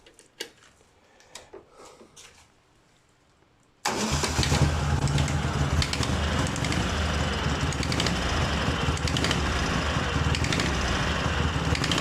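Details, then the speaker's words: Sharp ringing tap about four times a second from the left cylinder, appearing gradually, only on a cold engine and only when revving; owner suspects piston skirt slap or gas escaping between cylinder and head, worse after cylinder ingested water. "Сегодня хотелось бы разобраться причине звонкого стука в левом цилиндре появился он не сразу постепенно появлялся проявляет себя только на холодную"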